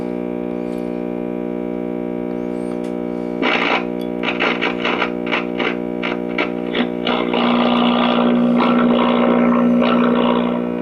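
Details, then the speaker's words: GE Model 403B tube clock radio, five-tube set (50C5, 35W4 rectifier), mid-1960s or earlier, switched on: steady low buzz under the music, typical filter capacitor hum; filter capacitor to be replaced. "and as you can hear we have our normal filter capacitor home"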